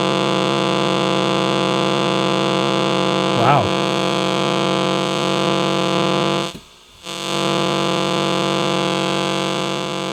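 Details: Switch-mode charger for a cell phone or tablet: harsh steady buzzing hash with many stacked tones, dropping out briefly; its capacitor keeps it generating noise long after unplugging.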